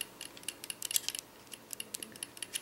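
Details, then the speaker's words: Magpul PTS airsoft gearbox, bevel-to-pinion adjustment one turn down: light, irregular metallic clicks of teeth rattling as the gear is rocked with a flathead screwdriver; bevel-to-pinion mesh too loose. "but if you get your flathead in here you hear the rattling between teeth the teeth here"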